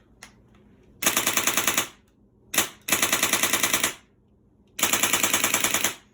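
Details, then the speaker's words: LCT RPK airsoft gun with a new Polar Star Fusion engine, dry-fired on a 90 cu in HPA bottle regulated to about 60 psi, no BBs loaded: three bursts of fast, even clacking at about ten shots a second; solenoid firing cleanly. "The gun is clicking, so the solenoid's firing."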